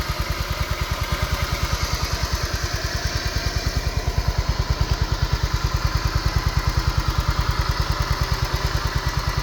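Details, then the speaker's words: Used 2012 Honda Vario KZR 125 scooter, engine heard up close at idle: even, steady low putter with no misses, knocks or rattles; smooth, no smoke, no oil seepage; healthy. "Ini mesin suara mesinnya masih halus, masih bagus nih, Guys. Ini enggak ada kebul, enggak ada rembes-rembes oli, Guys."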